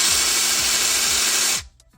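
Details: Ridgid 18V SubCompact brushless impact driver in auto mode: steady high-pitched motor buzz with fast, even hammering for about a second and a half, then stops cleanly as it senses the fastener; normal operation.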